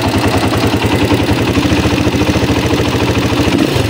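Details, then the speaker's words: Honda XR200 motorcycle idling with a loose, uneven metallic clatter about three times a second, a noisy engine; the timing chain and tensioner are checked next, suggesting a stretched chain with a weak tensioner. "Pakinggan natin yung kanyang tunog. Yan. Umandar na yan. Lumalagitik."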